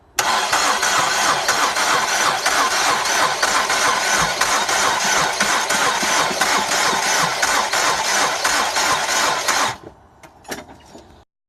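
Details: 2006 Ford Escape: starter cranks steadily at about three turns a second for ten seconds, but the engine never catches and runs; cranks but won't start, cause unknown.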